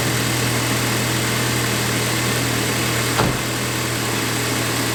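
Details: VW MKV GTI idling after leak repairs with ECS Tuning parts, heat on full: smooth, even idle with steady low hum and no ticks, knocks or hiss; engine running healthily.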